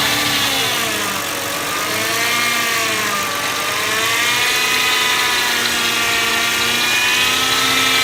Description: Mercedes ML 320 Bj. 99 jaulendes Fahrgeräusch für Tipps von was das sein kann wäre ich dankbar